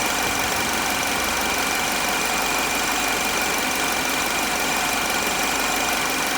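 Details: 2010 Chevrolet HHR 2.2 Ecotec at warm idle: steady hissy, ticking rattle over the engine note; weird noise, cause unknown.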